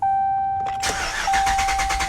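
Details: 2018 Ram 2500 6.4 Hemi after an oil change: a chime, then an even, rapid starter churn with steady compression beats and no knock. The throttle is held to the floor so it cranks without firing to build oil pressure and avoid a dry start.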